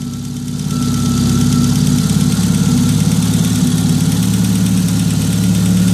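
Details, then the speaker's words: Peugeot 106 1.6 Rallye after 1.3 inlet conversion with a cone air filter, just after first cold start: low, steady idle at about 1000 rpm, even throb with no misses or knocks, plug-and-play with no adjustment; normal idle. "Чувате? Пежото работи на 1000 оборота, без нищо да се прави друго."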